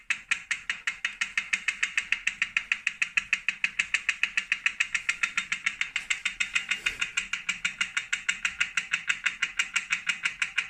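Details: New 2018 Wahoo Kickr Core trainer makes sharp, dry, rhythmic clicks about three per second while spinning. The owner suspects a broken axle bearing or loose magnets; not confirmed.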